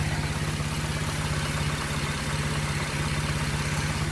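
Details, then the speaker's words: Car with an LFX engine swapped in place of its LLT (2011 LLT-to-LFX swap), manual, at idle: steady idle with a light, fast, even ticking rattle on top; the timing chain is a little noisy. Coolant temperature reads 167. "Timing chain's a little noisy."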